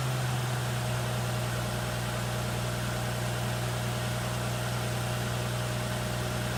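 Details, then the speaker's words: 1960 XK Ford Falcon six, first start in 12 months; steady, even low idle with smooth pulse, no knocks or ticks, though fuel was dripping from the carburetor. "there you go folks that's the first start in about 12 months on this 1960 talkin and just listen to that engine"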